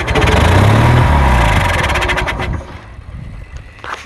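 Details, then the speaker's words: Kohler Magnum 20 engine, first start after repairs, with gas poured down the carburetor throat: catches and runs strongly for a couple of seconds with an even beat, then dies; sounds mechanically sound, carburetor still needs work. "But she lit off. Don't sound like anything's wrong with it."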